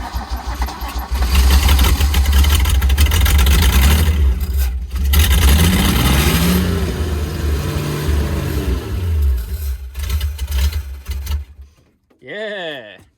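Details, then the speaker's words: 1974 Nissan Caball 2-tonne truck with Holden 179 six-cylinder, after spark was confirmed: it cranks, catches and settles into a low, fairly steady rumble with the throttle held. The engine starts and runs. "Getting there. It runs. It runs. That's a bonus."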